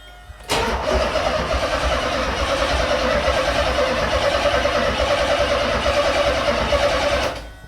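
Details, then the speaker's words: The Z, first crank after rewiring, with fuel cut and out of gear: the starter spins the engine evenly about three turns a second for seven seconds with no catch. Normal no-fuel cranking, no start as expected. "So, that was without fuel though, right? >> Yeah. Okay. Okay. Yeah. It's supposed to do that."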